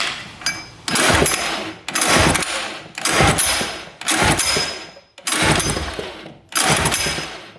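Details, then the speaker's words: 1980s Hydro Force 255cc two-stroke jet surfboard, compression test on top cylinder with throttle open; seven strong, even pull-start strokes with no hiss, reading over 100 psi, good for a small cylinder. "Oh, we're over 100. That's great for a small cylinder. All right. So that one's pretty good."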